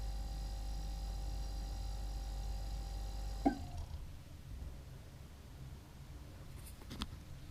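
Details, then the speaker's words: New Everglades compact refrigerator with freezer compartment: compressor hum stops at once with a single sharp clunk, the "weird corky noise" at shutoff, then faint refrigerant gurgling; compressor shutdown clunk. "And it makes this weird corky noise when it turns off."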